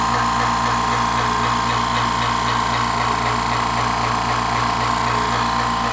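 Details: California Air Tools 10020C compressor (2 hp, 10 gallon tank, about 50 hours prior use) on first startup, pressure approaching 140 psi cut-out: even steady motor drone with fine pump pulsing, no knocks or squeals; healthy.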